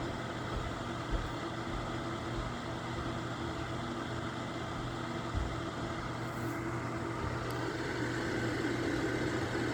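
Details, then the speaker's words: Lasko electric fan heater, low 750 W / high 1500 W, switched with audible clicks, now on high 1500 W, hot air from bottom coils; steady even rush over low constant hum, no rattles or scraping: normal running on high. "So when you turn it back, that's burning on 750 watts when you hear that clicking. And then when you hear it clicking again, so now we're burning 1500 watts."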